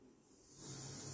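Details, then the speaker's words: Active Class-D speaker cabinet at turned-up volume, quiet until a TRS cable is connected, then a steady white-noise hiss rises and holds, no hum; devices share one outlet; cause not found. "so this is actually the problem I googled a lot about this and I found some solutions for example some said maybe you have some how many problems this is not a humming it is a hiss actually it's a white noise"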